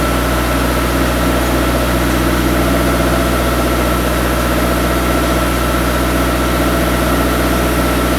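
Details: Turbocharged engine idling after a five-month winter build, before a clutch and shift test: smooth, even idle with a steady low hum, no knocks, misses or squeals; sounds healthy.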